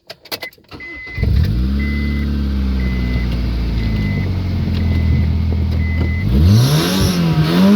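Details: Worn engine revving loud with the muffler removed but the catalytic converter still fitted: a faint irregular knock under the exhaust roar; the engine is near the end of its life.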